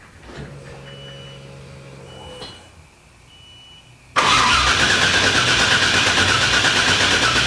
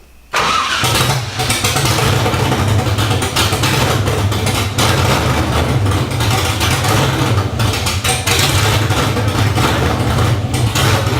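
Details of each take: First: LS1 V8 swapped into a 240SX, open headers, computer not yet tuned to delete the security: key cycling and fuel pump whirr, then sudden loud catch and brief run before cutting out; immobilizer stalls it, oil pressure good. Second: LS1 V8 swapped into a 240sx, first start on open headers with an untuned ECU and a new fuel filter after priming oil pressure; catches right away into a loud, even, deep burble with a steady beat and no knocks.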